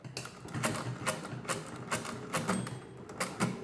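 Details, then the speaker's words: Repaired hand-cranked 10-key Facit-style mechanical calculator doing division: crisp, even clacks about twice a second as the crank turns, with the overflow bell ringing near the middle; working properly. "overflow which is why all the nines pure appear and you hear the bell and then you just add one back to correct the overflow and we move on to the next column so that all seemed to be working"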